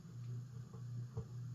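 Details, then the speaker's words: Emerson "Roundnose" antique ceiling fan, model 86641-AG, c.1952, 52-inch, running on variable speed control: quiet steady low hum with faint irregular ticks, from either bearings or rotor, also heard in regular operation; unconfirmed. "because Yeah, that noise we hear is whether it's the bearings or the rotor. We hear that on the regular operation, too."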